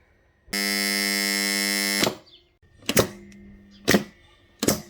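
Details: Old contactor energized on 230–240 V: loud, harsh mains buzz for about a second and a half, then only quiet clicks; strong buzzing caused by rusty core pole faces.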